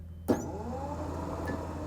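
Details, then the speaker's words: SaltDogg Pro Series spreader spinner motor bench-tested directly on 12 V from a jump box: click at switch-on, then a steady low electric hum at even pitch with no grinding or rattle; healthy motor. "As you can hear, everything sounds good. There's no grinding"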